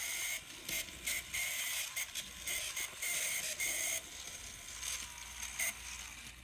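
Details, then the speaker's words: Kato N scale SD40-2 Burlington Northern locomotive running on track, same both directions: harsh high ratcheting grind over a whir, from worn little plastic bearings beside the worm gears. "so guaranteed that noise is the little plastic bearings next to the worm gears"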